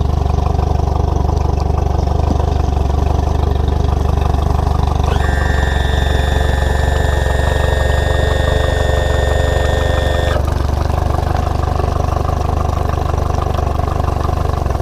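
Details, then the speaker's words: 60hp Mercury 4-stroke outboard being winterized: steady idle with a high whistle coming in midway, then the idle roughens and sags as it tries to bog down while fogging oil is fed in; expected during winterizing. "didn't see a whole lot of smoke coming out of this one but you can hear it as it was trying to bog down that fluid is getting in there and lubricating the parts inside your outboard"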